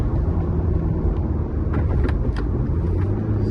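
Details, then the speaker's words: MK4 Jetta ALH TDI diesel driven after the A/C compressor was deleted and replaced with a Dorman 34214 blank pulley; steady low diesel drone with normal turbo noise under road noise, no squeal, rattle or belt chirp. Normal running while driving. "I'll take it for a quick spin and see if everything stays quiet. Now we're back to turbo noises as normal."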